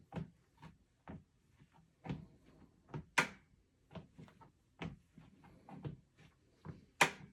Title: Lifespans TR1200B making noise like there is a soft spot on the deck when the weight shifted. 2w old